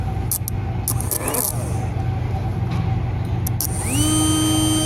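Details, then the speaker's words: 2004 Arctic Cat 400 4x4 actuator (0502-296), opened on the bench, 12 V jumpered past its melted relay: small motor winds up to a steady even whine until the limit switch; this direction works fine. "the motor spins and it spins until we hit the limit switch so this direction is working fine"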